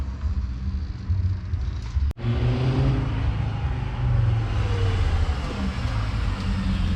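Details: "Savoy" after repairs so nothing melts again: deep even five-cylinder rumble with steady low pulses, no knocks or misses; runs perfectly, starts fine, sounds like an R32.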